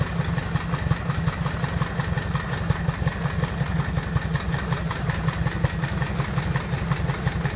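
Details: Piper Apache engine at its first start and run-up after a rebuild: a steady, even low rumble with a regular fast beat and no misses or knocks; a normal, healthy idle.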